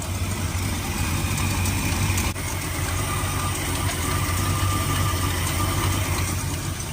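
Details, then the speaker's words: 1972 Plymouth Fury ex-police cruiser, 440 big-block V8, sat nearly a decade, just started using ether (starting fluid): a deep, steady big-block burble holding an even idle without stumbling or hunting, now idling on its own. "I put a lot of this in there ID I not think it going to idle it's seriously idling right"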